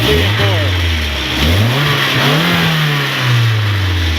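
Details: 1990 Nissan 240SX after fixing faulty injector wiring/plugs that caused bogging: several clean revs climbing and dropping smoothly without stumble, miss or knock; engine healthy.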